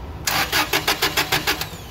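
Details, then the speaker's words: Toyota 8 Series 5,000 lb LPG forklift with a 4Y-ECS engine: quick even cranking, about six strokes a second, never firing. The screw is likely screwed in too far, blocking the gas passage to the FCM. "So what's happening right now is I think I screwed that in too much. That is not allowing any gas now to go into this, because now my pressure is being held, right?"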